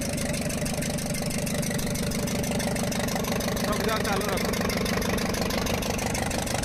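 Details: Ashok Leyland Captain 4923 BS4 diesel with smoke and pickup loss, idling with the charger connection removed: a sharp, regular tapping about three times a second. Cause: a valve bridge dropped off the first rocker from the rear, with raw diesel escaping.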